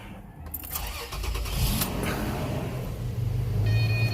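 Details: 2006 Toyota Tacoma 4.0L that had died and wouldn't restart, no fault codes: brief cranking, then the engine catches cleanly and settles into a steady, smooth idle; starts normally.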